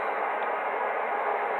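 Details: Uniden BC365CRS scanner, plugged in whether on or off and with antenna connected, heard on a DX-394 HF receiver on 20 m: steady, rhythmless hiss of RF interference.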